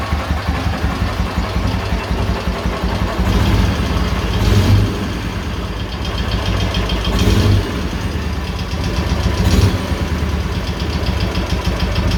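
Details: K-750 motorcycle boxer twin after replacing the timing gears (four crankshaft gears), ignition fed direct to the coil: even idle with a few short throttle blips and no knocking underneath. The earlier knock is gone.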